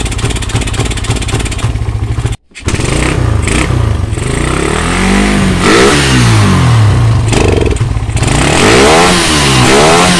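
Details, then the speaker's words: Suzuki Satria FU motorcycle idles normally but stumbles, briefly cuts out and climbs unevenly when revved, carburettor already cleaned; misfire and hesitation under throttle. "nyala normal Tetapi kalau Dikas seperti ini"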